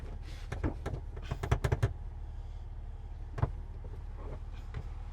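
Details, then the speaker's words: Rusty Jeep Wrangler idling low while being shifted into 4WD low: a quick run of heavy clunks and another single thud as low range goes in. It is not engaging cleanly and sounds bad. "that does not sound really good is it not going in yeah that doesn't sound good at all"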